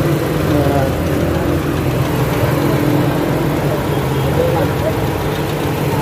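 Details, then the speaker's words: Honda Fit after overheating, repaired with a top overhaul only, timing set at 5 degrees, no smoke: steady, even, quiet low idle hum with no knocks, misses or ticking during warm-up before a highway test drive. "And okay, so far okay, walang usok. Okay naman naman. Ibig sabihin okay yung timing, naka 5 degrees yung timing natin."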